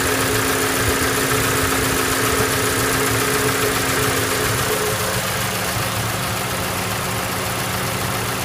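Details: Toyota Voxy with 1AZ engine at idle: steady hum with a faint regular tapping three or four times a second, plus white smoke. The engine is judged finished; internal knock, cause unconfirmed.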